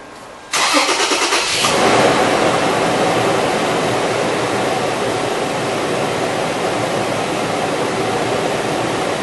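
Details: 2003 Toyota 4Runner after drive belt replacement, belt on crankshaft, tensioner, idler and water pump pulleys: quick crank, easy catch, steady smooth idle with no squeal or chirp; healthy.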